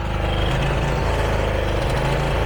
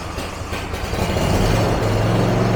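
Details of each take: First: John Deere zero-turn mower engine hunting/surging: low drone rises and falls unevenly while carburetor governor linkage oscillates; pulse line and fuel filter already replaced, owner suspects dirty carb main jet or linkage; later fixed. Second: John Deere zero-turn mower after carburetor cleaning for idle surge/hunting: rough catch then steady, even low drone holding pitch with no surging; normal idle.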